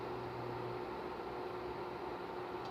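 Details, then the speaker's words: Opened Electrolux ICP30 induction cooktop (6300 W, 127 V) at power level 1 with an iron plate. A low steady hum over fan hiss cuts off in under a second as the coil cycles on and off; the field is generated normally. "então esse é o campo gerado dá pra gente testar a gerando o campo é uma bobina está funcionando"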